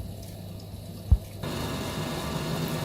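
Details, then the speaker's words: Vaillant ecoTEC Pro 28 boiler that was blowing its fuse, after pump and PCB replacement, burner on: a click, then a steady low hum with a soft rush of water as the new pump runs; normal circulation. "so there's the new pump and it's all fired up and working so we're just gonna put the case back on and pack our tools and be on our way"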